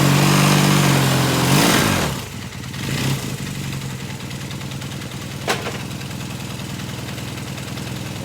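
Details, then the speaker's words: 1978 Kawasaki KZ400 twin after exhaust and carburetor install, first run, choke then off: quick rev falls back to an even steady idle with crisp exhaust pulses, no knocks or misses; owner says it sounds nice, healthy. "It's actually got a nice little sound to it."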